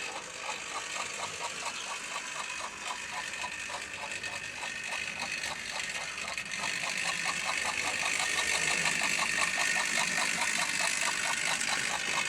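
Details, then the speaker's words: Albert Hall model locomotive coupled to its tender with chuffing sound, under power on the track: steady soft chuffing about four beats a second over light mechanical whirr, growing louder; running fine, though owner notes it's slow and wonders if a new magnet would help. "Let's apply a little power and see as she goes. There she goes. And can you hear that chuffing sound?"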